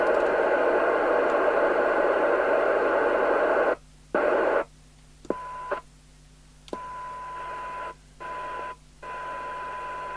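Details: York JCB861 UK FM CB radio on the bench during realignment, after a failed PLL electrolytic capacitor was fixed: receiver hiss cuts off cleanly and reopens as squelch is worked, steady test tone between; squelch threshold about 100 microvolts, operating normally.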